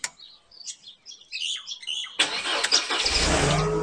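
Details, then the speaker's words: Mercedes W203 C-Class after fuel pump replacement, start after priming: brief crank, catches at once and settles into steady even run, birds chirping; starts cleanly, new pump fixed the issue. "perfect new fuel pump fixed the issue you know two steps forward seven back"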